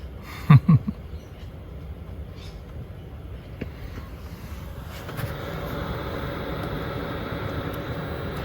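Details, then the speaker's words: Chinese diesel heater in a van, quiet install with a muffler, switched off with the middle button to run itself down; only a soft steady rush of fan air, no fuel pump ticking: normal shutdown run-down. "just leave the middle button the middle button there and just there leave that on to turn it off and it'll run itself down a lot better"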